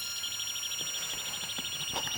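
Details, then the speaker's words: Pioneer PD-4100 CD player with a disc loaded: a rapid, high chirping squeal pulses steadily as the laser sled hunts back and forth; the laser does not light and the disc is not read. "you can hear that laser moving back and forth, squealing, looking for the information, but it can't find it."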